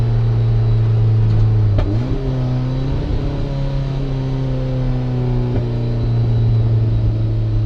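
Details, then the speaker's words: 1994 turbo Mazda Miata at half throttle: strong steady pull drops out sharply at about two seconds, stumbling before recovering; hard cut, runs lean. Plugs, wires and cam sensor replaced; owner suspects a MAF-based boost or spark limiter. "Let's try half throttle. That sounds like a hard cut to me."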